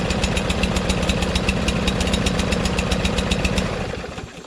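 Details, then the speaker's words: Free Craftsman LT2000 lawn tractor engine, freshly fuelled and oiled: steady, fast, even firing with no knocks or misses, then it winds down. It runs well but rich, with black smoke. "sounds pretty good so aside from it running kind of rich you can tell because the black smoke is coming out right start it up and runs okay it sounds pretty well"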